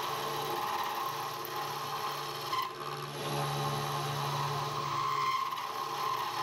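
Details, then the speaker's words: Mill taking a face cut with a cutter that isn't very sharp: steady scraping rasp over a low motor hum; owner unsure whether the noise is the quill bearings. "anyway don't think that cut is real sharp either and you can hear that bit of noise in the I don't know whether it's just quill need to in the bearings I don't know"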